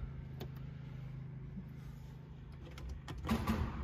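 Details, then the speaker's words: Royal limousine sitting abandoned since 1990, after the battery kill switch is found and power restored: a faint, steady electric whir for a few seconds with no compression beats; the starter spins but the engine won't turn. "oh hear that that's the starter going but the but the engine's not turning but it does have a little bit more life than it did before"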